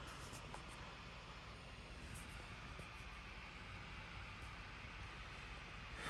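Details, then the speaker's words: 16-inch MacBook Pro, i9, 32GB RAM, exporting a 700MB Final Cut Pro video: an even, airy, loud rush with no pulsing, rattle or ticking, so the fan is spinning hard under heavy load, which is normal. "MacBook, the i9 is definitely humming along. A lot of noise, as you can hear."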